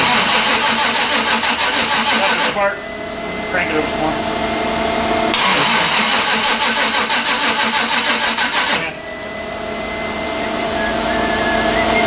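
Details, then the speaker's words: 1992 Chevrolet Silverado with a turbo 5.3 LS swap and 5-speed: fuel pump on and fuel present, but the starter cranks in bursts at about three turns a second and it never catches. Suspected fouled spark plugs. "so we got smart we got fuel that means we got probably foul clothes let's get a set of points for it it's just a spark plug"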